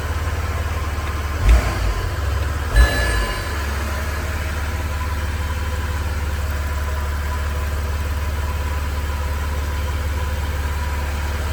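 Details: BMW E92 335d diesel during a right- to left-hand-drive conversion, first running after troubleshooting a no-start: a couple of sharp thumps as it fires, then steady, even, smooth diesel idle drone; normal idle.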